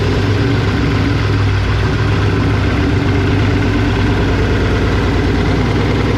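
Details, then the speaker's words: BMW E36 with a hundred-some-thousand-mile engine at first start, running on open headers with no exhaust: a very loud, raw, deep booming idle that masks engine health. It needs an exhaust fitted. "different reasons number one it's so loud that i can't actually hear how healthy the engine is all i can hear is the exhaust number two it's not driving i mean it literally sounds like a freaking big block like it is it is ungodly loud"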